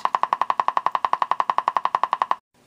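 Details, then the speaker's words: General Electric C-403A radio during repair exercises with the 22k grid resistor disconnected. Sharp, even ticks about ten per second over a quiet background; an open grid resistor is causing the ticking. "all right when you hear a sound like that start looking at your grid resistor"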